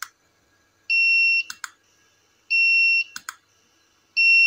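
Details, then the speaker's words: Tronic Alfa studio monoblock flash after repair of a botched earlier service with calibration faults and power drop: half-second high beep, then a sharp pop and clicks every 1.5 s; power now stable, about 150 on the display after turning it down. "Ya stabil banget nih teman-teman ya kita coba kita kecilkan ya teman-teman Nah kita kecilkan kita coba tembak lagi ya dia di angka awal ya sekitar 150 seperti itu teman-teman"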